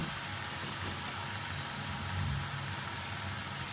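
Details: Potterton Performa boiler after unblocking a sludged plate heat exchanger (diverter valve suspected, not at fault), firing on hot water: steady, even burner roar with low rumble, no bangs, whistles or surging; normal firing.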